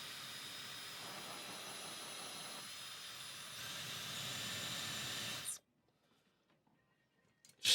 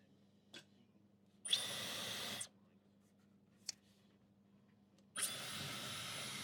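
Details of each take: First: Dyson Supersonic HD03 hairdryer: a steady, high, airy hiss that strains and shifts, then cuts off as it shuts down with flashing lights and a horrible smell. Filter is clean; the fan is labouring, and a long hair was later found inside. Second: Dyson Supersonic HD03 hairdryer after swapping components and removing a long hair: two short bursts of smooth, even, high airflow that start cleanly without bogging. It previously struggled at the lowest speed setting; now it works normally.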